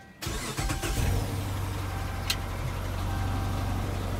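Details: Dodge Charger 5.7 Hemi, over 20k idle hours, oil changes neglected, metal found in oil; right after start a lumpy uneven idle with tick and random misfire (P0300–P0308) from failed cylinder 2 lifter and worn camshaft; coil swap changed nothing.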